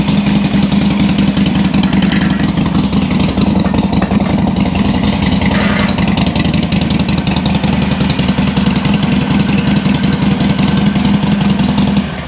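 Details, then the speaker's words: 2007 Sportster 1200 Custom on a lift, in neutral, after a no-crank complaint. Steady, lumpy V-twin idle with no knocks or whine. Charging measured 13.4–13.5 V, so the stator and rectifier are fine; the fault was a bad battery with no cold cranking amps. "It's in neutral. All right. Now, I want to check and make sure it's charging. Make sure it's not a stator or rectifier issue. Sounds good."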